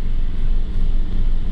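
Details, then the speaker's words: 2012 Toyota Yaris (Latin American version): deep low idle surges and dips unevenly, revs very low; faulty oxygen sensor stuck out of range reading rich, no check engine light. "ya está empezando a cabecear lo que llamamos con un mínimo muy bajo el motor"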